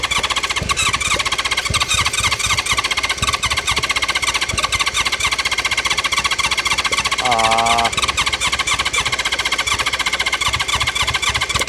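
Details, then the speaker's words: 1976 Honda CB550 70s four-cylinder motorcycle, sat for years: starter spins engine about four pulses a second, it wants to fire but never catches; cranks, won't start. Owner suspects plugs fouled by cylinder debris; exhaust nuts loosened to check airflow. "At least we know we got a good starter. It wants to fire."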